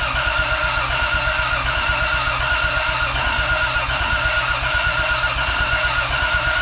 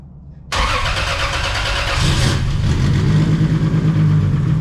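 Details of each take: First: 2JZ-swapped Chevelle, fuel pump priming to 43 psi, one leaky injector: the starter turns the engine steadily for about eight seconds without ever firing; crank no-start, cause unknown. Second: 2JZ-swapped Chevelle, first start, turbo with no blow-off valve. Starter cranks about a second and a half, catches, then settles into a steady, even low idle; normal start and idle.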